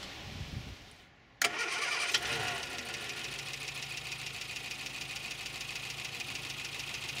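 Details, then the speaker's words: Morris Minor petrol engine before ignition repair, running on three cylinders: catches after a brief crank and settles into an uneven, lumpy idle, one cylinder dead; ignition coil and distributor suspected. "if the coils out of whack it's not gonna run properly and one of my cylinders has not woken up for a while so I'm running on three"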